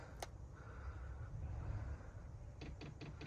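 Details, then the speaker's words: Diesel heater under-seat install in a 2017+ VW Crafter / MAN TGE, fed from main fuel tank, priming with no fuel yet in filter: sharp evenly spaced ticks about three per second; dosing pump clicking normally while priming. "You hear the pump clicking. What I'll do, I'll hold it for a few minutes, and I'll go and see if there's any fuel in the filter."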